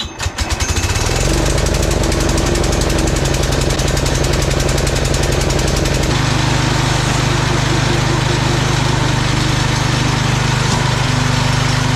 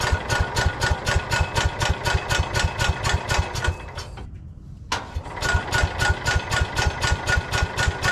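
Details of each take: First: Old Cub Cadet garden tractor, 10 hp Kohler single-cylinder, after carburetor clean and fresh unleaded fuel: catches and settles into a steady, even thump, running cleanly with no misses or knocks. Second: Old Cub Cadet garden tractor, 10 hp Kohler engine, after carb clean and fresh fuel, dead battery on portable jumper: regular cranking about four compressions a second, brief stop, more cranking, never catches; won't start yet.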